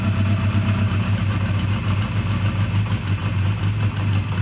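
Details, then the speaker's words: 2001 Honda Rebel single-cylinder idling on full choke in neutral: the idle pulses and surges unevenly, loping as if starved of fuel; running out of fuel is suspected, not confirmed. "well did we run out of gas or something it's kind of what it sounds like kind of sounds like it ran out of fuels a"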